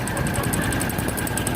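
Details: Motorcycle engine at idle: quick, even ticking knock about ten per second over the exhaust beat; engine was torn down three times before cause found, a loose frame-to-engine mounting bolt.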